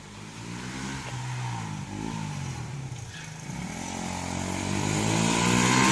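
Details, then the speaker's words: 1984-era 41-year-old imported Honda XL125S single-cylinder bike accelerating up the road after restoration, starts first kick; pitch climbs smoothly, no popping or missing. "That definitely sounds better. There's none of that popping and missing, I don't think."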